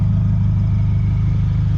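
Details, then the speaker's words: 1998–2002 Honda Accord F23A with eBay catback exhaust, driving: deep, steady exhaust drone with even low pulse, no knocks or misses; running good, sounds healthy. "running good it sounds healthy"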